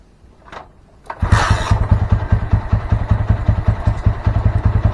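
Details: Honda Mega Pro Primus single-cylinder motorcycle after a dead CDI was replaced and the wiring joints taped: catches after a couple of cranks, then settles into a crisp, even beat with no misses or knocks; normal running.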